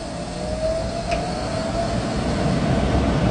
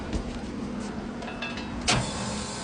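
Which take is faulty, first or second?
first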